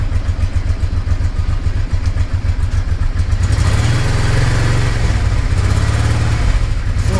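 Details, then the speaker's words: Honda Deauville NT650V V-twin, warmed up, on the old aftermarket exhaust (a Motad, owner thinks) before replacement with a Delkevic system: steady low throb, even exhaust pulses swelling briefly as revs lift; normal warm idle. "what I wanted to do was let you hear the old exhaust so I warmed up that's the old exhaust"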